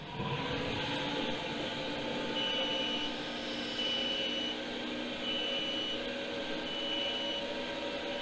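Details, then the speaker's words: Chinese diesel heater fitted in place of an Eberspächer in an Iveco Iris bus camper, after an earlier fan-failure error: steady, even fan rush with a faint hiss and no knocks or surging. The owner hears "funny noises", but it runs normally and puts out heat. "i don't know if you can hear that that's making funny noises and we have heat coming out the heater"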